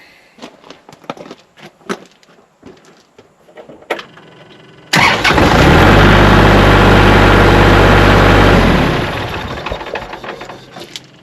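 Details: Kubota tractor after cleaning and greasing battery terminals (negative looked corroded; earlier only buzzing, no crank): a few seconds of clicking, then catches straight away, smooth even diesel idle, shuts off cleanly.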